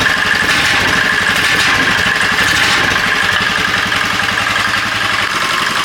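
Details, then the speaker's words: Golf cart motor-swapped from a blown 8 hp Briggs & Stratton, cold-blooded engine with custom exhaust: quick even idle putter, faint valve-spring ticking and a thin whistle; running quietly. "But as you guys can tell, it's running, and it's not very loud."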